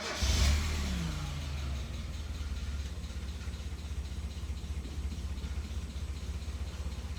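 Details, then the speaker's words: Mazda Miata NA, first start after the cams were reinstalled with the cam gears torqued to 41 ft-lb: it flares, then sags into a low, uneven idle and dies. Cause: the intake tube was unseated at the MAF sensor. "huh it's very low idle and then it does okay but when i keep the idle up it's fine"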